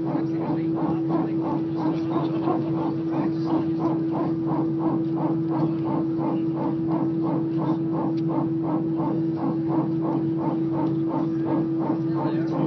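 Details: EasyJet flight from Belfast to Liverpool at take-off: a rhythmic honk-like pulse, roughly three a second, over the cabin roar and a constant hum. Origin unclear.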